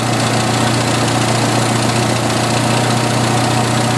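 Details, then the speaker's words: 1986 Jeep XJ 2.5L, about half warmed up, idling after one of two vacuum leaks was fixed (crankcase ventilation wrongly set up under a non-original valve cover had the engine running very lean): steady, even, slower, smoother idle with no stumble or hiss. "the engines a lot smoother yeah the idle slower and it's smoother"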